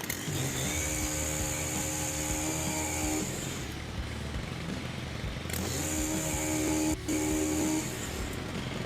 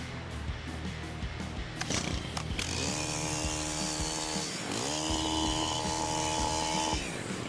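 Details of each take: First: STIHL HT-103 two-stroke pole saw brought in with a chain that wouldn't move, now reassembled after repair: buzzes, drops off and revs again, sounding low and flat but the chain turns. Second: STIHL HT-103 pole saw brought in because the chain wouldn't move, after disassembly, inspection and worn-part replacement: the engine revs cleanly to a high steady scream, dips briefly, then holds full speed, cutting off properly; repaired and running normally.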